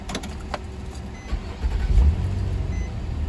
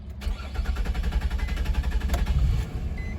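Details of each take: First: 2004 Nissan Maxima after crank-no-start/hard-start repair (connector reinstalled, codes cleared), repeat restart: brief crank, fires almost at once, settles into a low smooth idle rumble; healthy quick start, no more hard start. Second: 2004 Nissan Maxima with hard-start complaint and stored code: long run of starter chugs about four a second, key held, before the engine barely catches; suspects include crankshaft or camshaft position sensor or fuel pump.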